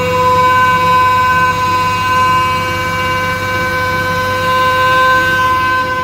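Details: Mini hydrovac vacuum rig: 3.8 L V6 supercharger (likely M90 rotors) plumbed backwards, 15 hp Chinese motor at idle, thought to hit about 20; loud steady siren-like howl at one pitch; supercharger pulling hard vacuum under load.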